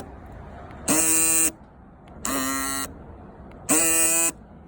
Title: 2018 Honda Accord 2.0T Fuel Lock Actuator Buzzing Noise